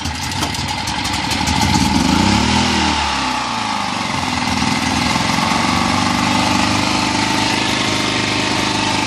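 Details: ETQ generator that sat for a couple of years, after draining the old fuel, cleaning the carburetor and restringing the pull cord: pull-start catches, revs up briefly, then settles into a steady even run with no misses, surging or hunting; healthy, putting out 110 volts.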